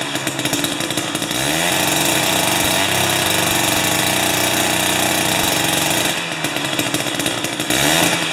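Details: Jiffy 30 2-stroke 3HP ice auger on 30:1 fuel after carburetor rebuild: high buzzy note rises and falls with throttle blips, now starts and runs, but still can't hit full rpm without backfiring.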